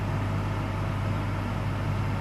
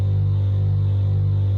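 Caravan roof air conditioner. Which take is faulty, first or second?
second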